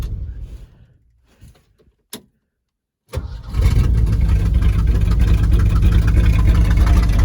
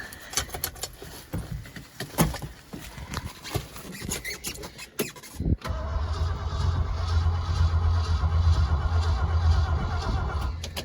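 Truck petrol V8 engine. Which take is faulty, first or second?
second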